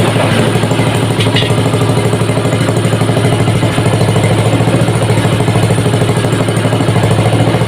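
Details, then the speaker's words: Small petrol water-pump engine converted to LPG: uneven sputtering beat about three pulses a second with stumbling firing, running lean from too much air entering. "Ini masih berebet karena angin yang masuk terlalu banyak."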